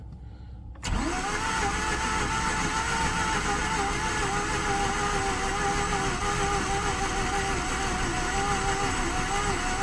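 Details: 2009 Mazda RX-8 Grand Touring, 6-speed manual, 215k miles, not run in 8 months, at -8 with about half throttle: catches and holds a wavering drone with uneven surges as revs climb, then fizzles when starter released; stumbling while cranking.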